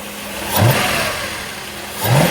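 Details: 1989 Mercedes-Benz 560SL after a throttle body cleanup: two quick throttle blips from idle, revs rising cleanly and falling back; noticeably more responsive but still running rich from a leaking cold start injector.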